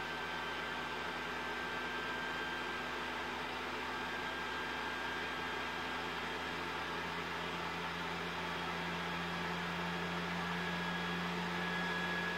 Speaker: now as soon as you enter the multiplayer menu the fan starts spinning super fast reaching up to 60 decibel it almost sounds like a jet engine listen